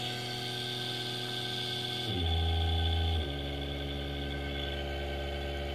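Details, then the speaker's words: 220 V induction motor on open-loop drive at 36 V, frequency lowered without lowering voltage so current draw is huge: hum jumps abruptly deeper and louder, then steps back up; coarse digital speed steps with high low-frequency current. "now the current draw is huge because we really need to be lowering the voltage and this is a bit of a sort of digital step between between the as I turned apart it's very sort of digital isn't it"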